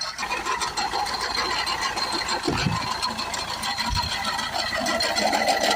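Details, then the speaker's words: Mercedes E250 CDI 2.1 diesel at idle, run for only a few seconds: a fast, uneven metallic rattle and chatter from the front of the engine. The water pump bearing has failed, with play in the pump and water leaking out. "Okay, we've turned it off. Only had it running for a few seconds there. Sounds like the water pump has left the chat."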